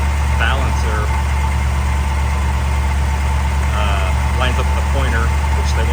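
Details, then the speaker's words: 1950 Chevy 3100 truck inline-six idling while timing is set with a light on the number one plug. Occasional stumble and slight miss because the ignition is over-advanced; backing the timing off makes it run better. "it's in the ballp car but you can hear it Miss a little bit look got my back it off and gets better"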